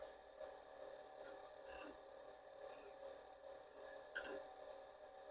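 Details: Commodore PET 4040 dual disk drive with a replacement main board, microphone placed inside the drive while copying and formatting: steady motor hum with occasional light head-step clicks, even and unstrained; normal operation.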